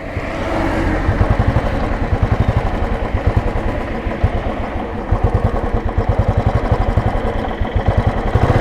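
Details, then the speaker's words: 2010 Royal Enfield Classic BS3 (first gen), 64,000 km, kick-started after standing unused: the single cylinder thumps with an uneven, hunting beat. The carburetor has a slight initial lag from storage and needs to be sorted out. "വണ്ടി നിർത്തിയിട്ടത് കൊണ്ട് കാർബേറ്ററിന് ചെറിയ initial lag ഉണ്ട്. അത് റെഡിയാക്കണം."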